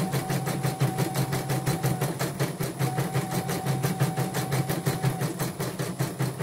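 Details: Portable embroidery machine (came in blank screen, dead touchscreen, hoop not positioning, unable to embroider) test-stitching after mainboard replacement: fast even needle chatter with a low mechanical drone underneath; normal stitching.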